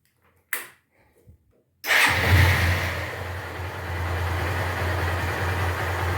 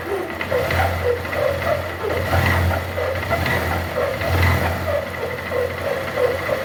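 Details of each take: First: Honda Titan 150 single after replacing a worn gearbox bearing that caused a loud humming: after short cranking, fires and settles into a smooth, steady idle with no knocks or grinding; normal idle. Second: Honda Titan 150 motorcycle at idle with a very loud steady hum, like something rubbing, under the engine beat; noise sometimes stops with clutch in and gear engaged off the stand. Teardown found a worn gearbox bearing.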